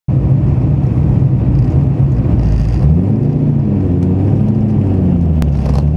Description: This is a Fidanza 7.6 Ceramic Twin Disc clutch making some noise that really doesn't sound too healthy to me. It has been chattering quite a bit from when I first started driving it when I engage and disengage the clutch